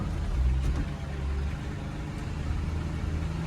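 Deep, steady V8 idle with an even low burble, no knocks, misses or hunting; engine idling normally.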